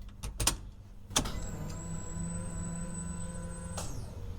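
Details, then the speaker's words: 1995 Dodge Dakota with rebuilt 2.4 turbo SRT4 swap, new Evil Energy fuel system with relay harness powering the in-tank pump, key-on first test before fuel added: steady high whine about 2.5 seconds then cuts off; fuel pump priming normally. "Not sure if you guys can hear that, but a successful first test. The pump did prime."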